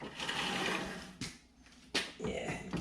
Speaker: You can hear that the rust in this backing plates are going